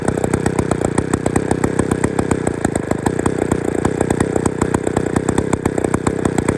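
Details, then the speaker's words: Old Bolens gear-drive two-stroke chainsaw, never heard running before, on a brand-new set of piston rings with little runtime and no bar and chain fitted yet: crisp, evenly spaced firing pulses with a steady rasp and no misses. It runs cleanly on its own. "put the bar and chain on it and uh you know give it some more running cuz this is a brand new set of rings I've never actually had much runtime on these rings yet so this is pretty exciting for me"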